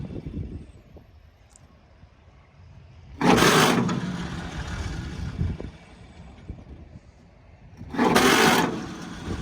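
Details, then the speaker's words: 1955 John Deere Model 60, running temporarily off a boat gas can with fresh oil and new spark plugs: two short harsh grinding bursts as the starter engages, no firing between; owner says the starter is faulty and must come off. "The starter, I gotta take the starter, and I already looked at some YouTube videos and what's wrong with the starter."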